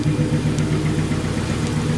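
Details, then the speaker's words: Ford Crown Victoria idling after work, running slightly better than before: steady idle with a rhythmic stumble about eight times a second, still misfiring at idle; owner suspects it needs injectors. "but it does sound like it's running a tad bit butter uh yep he's probably going to need injectors"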